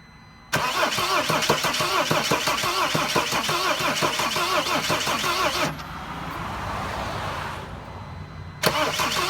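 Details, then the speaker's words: Mercedes Sprinter van, cranked with the mass airflow sensor disconnected and starting fluid in the intake; starter churns unevenly and laboured at about three beats a second, no catch. Crank no start; crankshaft position sensor suspected. "obviously it does not even want to start with some starting f I mean it's really really not sounding that great uh when it's trying to start"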